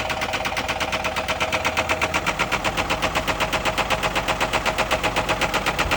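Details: Chevy HHR bought at auction with a bad rod knock, idling while groceries such as lemonade and cereal are tried as a remedy. A sharp metallic knock at about four a second, steady over the engine note: a bad rod bearing.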